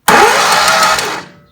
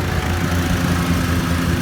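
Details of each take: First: 2013 Walker T23 mower left sitting in a paddock for years, with spark and fuel but no compression: short, fast, even crank with no firing; rear cylinder (previous lifter problem) not compressing. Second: 2013 Walker T23 mower, left in a paddock for years and repaired: steady, even engine drone while mowing under load, no knocks or ticking. Normal running.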